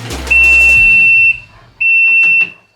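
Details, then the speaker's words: Yamaha Viking side-by-side at idle in forward high or low gear: two steady high-pitched beeps, the seat belt warning alarm, which is silent in reverse and neutral; not the suspected brake micro switch. "All right guys, so we had a problem with the noise. Let me show you what that is. Whenever we put it into forward or high,"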